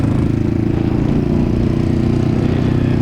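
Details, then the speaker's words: Yamaha V Star 1100 with 700 miles, bought days earlier, stranded on freeway: choppy uneven exhaust with stumbles and pops under throttle, skippy at low rpm, misfiring; owner suspects carburetor or fueling issue, maybe fuel filter, unconfirmed. "this thing is not happy that's all poppy sees now that makes me feel like it's a carburetor issue it's got to be a fueling issue somewhere right"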